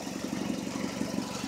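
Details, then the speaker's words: 2004 Hyundai Elantra idling after radiator replacement; rapid, regular puffing tick in step with firing pulses from a leaking exhaust flex pipe, due to be fixed. Exhaust leak. "but it's running you can probably hear the exhaust leak that's getting fixed on saturday that's that flex pipe came lease"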